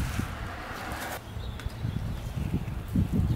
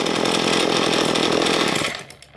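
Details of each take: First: Ryobi S30 two-stroke string trimmer with diaphragm carburetor, hard starting and stalling: ragged sputtering pops as GumBuster cleaner left in the carburetor burns off, then it catches and revs high in two bursts; idle needs adjusting. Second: Two-stroke string trimmer, cleaned diaphragm carburetor after idle mixture given a quarter turn richer: steady high buzz with even firing, no hunting or stumbling; now sounds much better, normal running.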